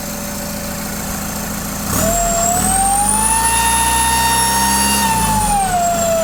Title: Common rail TDI turbo failure